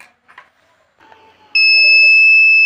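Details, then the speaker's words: Inverter being repaired with its low-battery cut set around 10.5 V: as the battery drains to 10.5 V, after faint rustling, the shrill steady low-battery warning beep starts and holds without a break. "यह 105 volt होते ही हमारी battery की जो बफ होती है वह सुनाई देने लगेगी"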